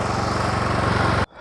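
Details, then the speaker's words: Troy-Bilt Super Bronco lawn tractor, Kohler engine, after replacing weak starter motor: small single-cylinder engine chugs evenly for about a second before cutting off; runs smoothly. "it took forever to come in my starter and until now i put it in there and we succeed it's running perfectly"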